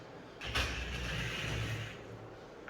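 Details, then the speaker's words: Scalextric slot car on Scalextric track: loud droning hum with a rough whine, running very slowly; owner says it definitely has binding issues, possibly a poorly meshing pinion, and notes the motor sits sunk down into the car. "This sounds loud as hell, which probably means it's fast as hell. Or it's got some kind of pinion, it's not meshing correctly. Could be binding."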